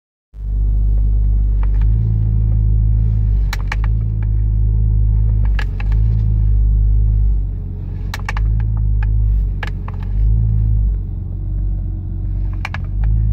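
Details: Nissan Skyline R33 GTS-T with HKB boss and OMP steering wheel: sharp irregular clicks, sometimes in quick pairs, over low steady engine rumble; steering wheel and hub clicking.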